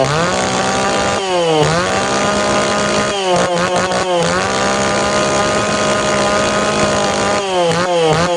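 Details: Tanaka PowerMate PMS340 pruning saw two-stroke, cold engine, after repairing a failed fuel delivery system that stopped it revving: crisp buzz snaps from idle to a high scream and back repeatedly, picking up cleanly.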